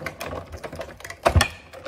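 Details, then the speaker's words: Sizzix Bigz Birdhouse steel-rule die cranked through cardstock on a Big Shot Fold-Away machine: uneven light crackling and snapping with a few louder pops as the blade hits material and cutting pad. This is normal and harmless. "when you hear the crackling of the machine it doesn't ruin your machine or the cutting pads just letting you know the blade is hitting the material and hitting the cutting pad"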